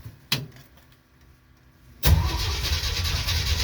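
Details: 1969 Jeep Willys CJ5, cold after sitting about 7 months over winter, previously dead battery charged, jumper cables on: sharp click, pause, then steady uneven cranking that never catches; engine turns but won't fire.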